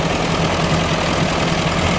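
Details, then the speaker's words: 1957 Ford 841 tractor just fired up after fitting a Chinese replacement carburetor, tachometer not working: steady low even idle with a smooth pulse and no tapping or stumbling; the carburetor works. "All right, I'm about to fire it up so you can see. It actually doesn't sound too bad. I gotta get the tachometer fixed."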